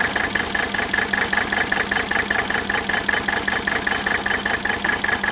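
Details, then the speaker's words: 1983 Mercedes 300D diesel, said by a mechanic to have a bad piston, idling with an uneven, lumpy beat about two and a half pulses per second; injector-line cracking test shows cylinders 3 and 5 misfiring, compression test next. "alright so we've got we've got issues with number three and number five"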